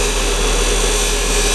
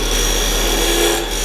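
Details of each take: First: Wood lathe at 3000 rpm, gouge held down on the tool rest and not forced in: a steady, even hiss of light cuts without chatter. Chatter appears when too much material is taken at once. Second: You hear that? It's just too much material. It's trying to take off at once.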